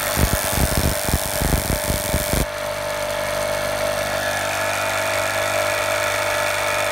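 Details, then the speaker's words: Impulse-coupled magneto on a test stand at 1000 RPM, then speed increased: crisp, even snapping with no gaps, then smooth steady whir as speed climbs; spark consistent, not missing. "The phone shutter speed camera causes some irregularity, but that is a constant spark, I can assure you. And you can see and hear that it's not missing."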